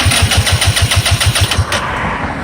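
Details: 2014 Kymco Super 8 150 scooter cranking: rapid even starter pulses then a flat whir, never firing. New 28 mm carburetor, fuel filter, lines and fuel pump fitted, timing checked; no fuel reaching the carburetor and it pops.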